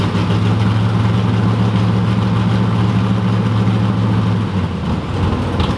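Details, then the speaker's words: 1986 Camaro IROC-Z V8 at idle, heard from underneath: quick uneven puffing tick riding on the firing pulses; suspected exhaust leak at the collector gasket near the manifold. "I can still hear it pretty clearly. That's got a pretty good exhaust leak, but otherwise, you can hear it better on the bottom. I think it's the collector gasket for sure."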